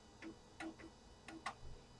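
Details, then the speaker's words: Compaq Deskpro floppy drive at 70% of a system-disk format (format A: /S), then writing system files; quiet irregular clicks and short buzzy chirps as the head steps and writes, working normally. "I'll let that crank along. It's at 70%. Looks like it's going just fine."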